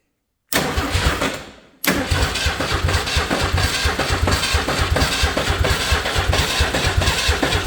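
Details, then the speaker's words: Old Ford 300 inline-6 truck engine after new pushrod and mechanical fuel pump install: starter spins the engine with a steady rhythmic churning for several seconds but never fires; cranking with no spark because ignition wires aren't hooked up. "Spark. Why do I have no spark? Guys, I'm not going to have a spark if he doesn't hook up all the wires."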